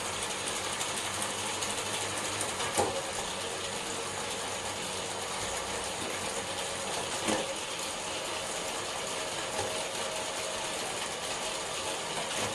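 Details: SRAM Force AXS bicycle cassette and chain: constant dry ratcheting whir with a few sharper clicks; unusually loud drivetrain noise, cause not confirmed.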